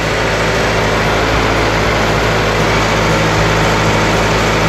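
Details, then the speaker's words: EF Honda Civic after fitting a shorter timing belt tensioner bolt, with the belt freshly tightened. Steady, even idle with a smooth low hum and no knocks, ticks or belt chatter. Normal idle. "pretty good. Sounding pretty good."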